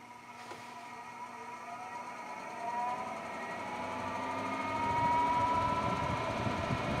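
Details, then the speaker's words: Brand-new Endless Breeze fan turned up through its speed settings: motor whine climbs as it spins up with a growing buzz underneath, vibrating more with speed until it walks off at highest setting; fan blade imbalance. "I don't know if you can see it on the screen but I can tell you it's vibrating quite a little bit now I'm going to turn it [Applause] up vibrating more"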